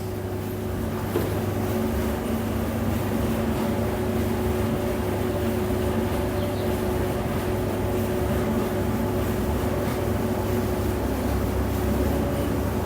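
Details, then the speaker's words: Whirlpool 15 kg vented dryer after replacing a defective drum roller wheel, running on Prim dry 60: steady low hum, smooth drum rotation, no knocks, squeals or scraping, unlike the earlier loud noise; normal running after repair. "machine is working fine no any abnormal noise you can hear the noise before it's too much loud noise now it is normal noise"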